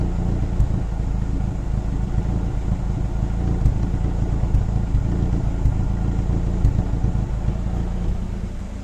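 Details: Daewoo Racer GTI, hot engine at idle: a low, uneven idle with irregular thumps and a wavering beat, the engine shaking; rough hot idle, possibly a misfire.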